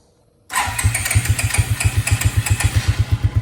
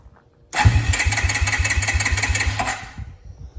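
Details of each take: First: 2002 Suzuki King Quad 300 4x4, cold, after taking the choke off: silent, then the single fires and settles into a steady thumping idle around four beats a second; clean start. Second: 2002 Suzuki King Quad 300 4x4, cold, choke on, some throttle: long stretch of steady cranking about three beats a second, then a brief stumble without firing; hard cold start.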